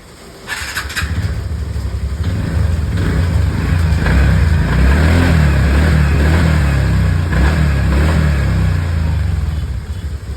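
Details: TVS Ntorq scooter after replacing a worn crank rod bearing that caused engine noise: starts promptly and revs up and down smoothly with an even beat and no knock or rattle; sounds healthy after repair.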